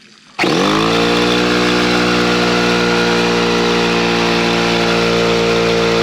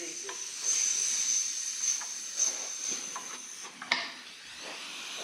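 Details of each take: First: Husky (possibly Campbell Hausfeld) 17-gallon air compressor, after repairing broken regulator-to-switch fitting, run outside: starts abruptly then steady even drone with strong mid tone, no knocks or hiss; pumps up normally, no leakage heard. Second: Husky 17-gallon air compressor, previously repaired broken regulator-to-switch fitting: steady high-pitched hiss with handling clicks. Pressure regulator leaking air; needs a new regulator.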